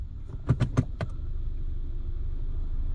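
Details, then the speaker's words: 2006 Subaru Legacy after wiring repair fixing a transmission that would not shift and ground in park: soft clunks shifting from drive to park, then steady idle with no grinding and no check engine light; shift now normal. "No grinding. So, still no check engine light. So, all of that's fine."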